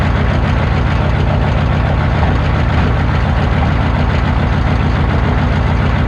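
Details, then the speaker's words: Cold start of a naturally aspirated three-cylinder 201 diesel (believed), clutch in, fitted with an offset reduction starter: even, rapid clatter over a steady low thrum with no misses or knocks. Normal diesel cold-start clatter. "clutch in listen to her boy she's cold so"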